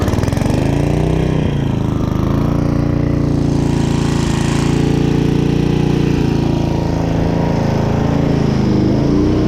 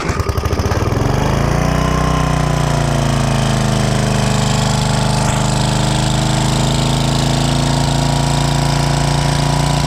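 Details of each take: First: Restored 1995 Briggs & Stratton Gen Power 8 hp generator after carburetor cleaning, powering a small air compressor: strong steady low drone dips briefly as the load comes on and recovers cleanly, running healthy under load. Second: 1995 Briggs & Stratton 8 hp generator engine, long stored, just after carburettor cleaning, started on choke and smoking from oil added while cleaning: it catches, hunts and surges unevenly, then steadies. Surging blamed on the freshly cleaned, dry carburettor.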